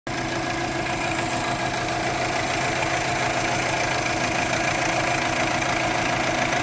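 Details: 2004 Subaru Forester XT idling with a loping, uneven beat, roughly three stumbles a second, and check engine light; cylinder 1 misfire persists after new plugs, coil pack and injector, timing checked, O2 sensor unplugged; cause unknown.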